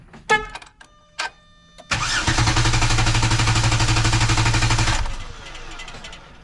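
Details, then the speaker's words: 3.8-liter engine in clear-flood mode cranked by the NovSight G5 6000A jump starter, part of four good cranks as the unit seemed to get warm: brief clicks, then about three seconds of strong, even cranking at four pulses a second, no firing. "Okay, that was four good cranks. And I believe the unit probably senses that it's getting kind of hot."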